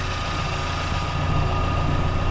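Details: Freshly rebuilt Daewoo Lanos engine, hot idle at operating temperature, hot oil pressure at idle about 3, excellent: steady, even low idle with a faint constant whine on top, no knock or tapping; healthy.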